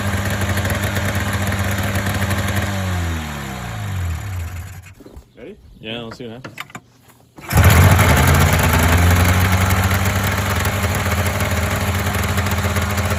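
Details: Polaris Indy 500 two-stroke snowmobile after used-parts top-end rebuild (overheated, no compression on one cylinder): runs, dies away, restarts and settles into a steady even idle — normal idle.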